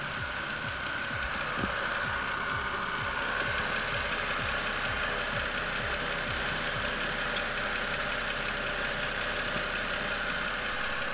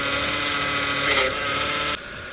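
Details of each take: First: BMW E92 328i petrol engine idling after a power steering fluid change for a cold-start whine: steady idle with an even low pulse and only a faint high tone left; whine nearly gone. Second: BMW E92 328i running, power steering pump giving steady high whine that drops near the end as fresh fluid circulates during fluid change; whine mainly on cold start, fading as it warms.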